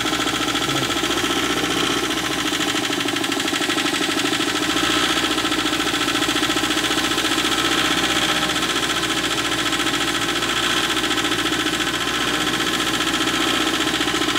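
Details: Wacker Neuson ST45 skid steer with Perkins diesel, clicking noise then would not shut off with key; hard, steady high-revving diesel clatter never dropping to idle, owner later learned air supply should be blocked. Runaway diesel engine.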